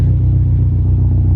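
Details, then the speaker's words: Subaru STI after injector cleaning for P0300 misfire: steady, even low idle rumble with no misses or stumbles; running healthy. "we're fired so let's always keep it that way but she sounds good she sounds real good guys"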